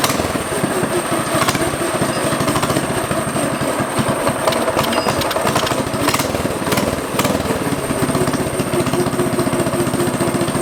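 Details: Predator 212 single on a restored 60s go kart with new header and performance air filter: fast, even popping with a crisp bark and steady rhythm; running cleanly.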